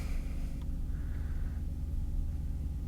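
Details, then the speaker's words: 2013 Porsche Cayenne S 4.8L after starter replacement fixed a no-crank no-start: deep steady rumble with no misses or knocks, settling into an even idle; repair confirmed, engine starts and runs normally. "Let's see if it'll crank and run good. Once again, take out the key, you don't hear anything. Let's go ahead and start it up."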